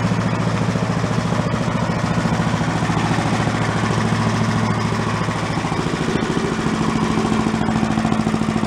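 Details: Yard-sale commercial walk-behind leaf blower, small two-stroke, bought not running with suspected carburetor problems, now run on the ground after repair to check smoke: steady, even putter at fast idle, no misses or surging; normal running.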